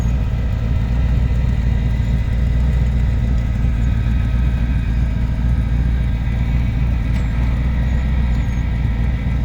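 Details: 1989 Lincoln Town Car V8 idling with a deep, rough low rumble and a raspy puffing edge from an exhaust leak.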